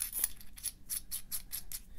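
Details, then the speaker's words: Kaweco Supra Fireblue fountain pen, new, first unscrewing of the barrel before lubrication: sharp high chirp about three times a second as the barrel turns, from dry metal threads squeaking; the owner says it sounds horrible and must be lubricated. "oh god it just it sounds so horrible i have to lubricate this as soon as possible"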